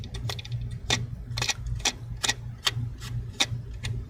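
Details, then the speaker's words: Lenovo Yoga C740-15 CPU cooling fan spun by hand: sharp, dry, uneven ticks and grinding, worse at high speed. Worn ball bearing; cleaning didn't help, so the fan needs replacement. "that the ball bearing is giving that grinding sound."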